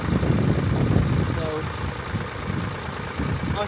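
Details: Mini F55 1.5 diesel with intermittent no-start, after checking starter cabling (alternator belt and tensioner recently replaced): diesel settles into a steady, even idle after starting, no misfire or stumble; runs normally for now.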